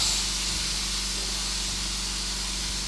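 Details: DIY 4WD rolling-road dyno: steady hiss of air venting as the air jacks are let down after the lift; normal air release sound, no leaks or faults evident.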